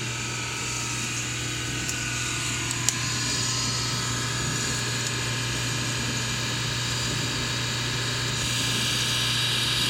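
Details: SPT countertop dishwasher, loud noise only during the wash cycle, not while draining, coming from the back left bottom; screen, filter and intake and drain hoses already cleaned, dishes come out clean. Loud steady whirring grind with low hum, possibly wash pump or motor.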